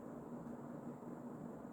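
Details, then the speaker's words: Emerson Casablanca Designer CF-2036W 36-inch ceiling fan, early-mid 1980s, K-55 stack motor, cracked motor housing, on high speed: soft steady whir with an even low hum, no ticks, scrapes or wobble. Normal running. "And now, despite its pretty sad looking cosmetic condition and having that crack in the motor housing, it still runs amazing, which honestly does not surprise me because these fans are such good, resilient fans."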